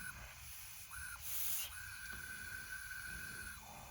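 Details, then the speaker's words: 1984 Honda ATC70 (about 50cc) engine on a leak-down test, piston at top dead centre, 20–30 psi: steady faint hiss of escaping air, about 33% leakage (should be under 10%); intake valve leaking, owner to check valve adjustment. "so we have like a 33 percent leakage which is bad so you shouldn't have more than about 10 leakage and um i think it's right here on the top"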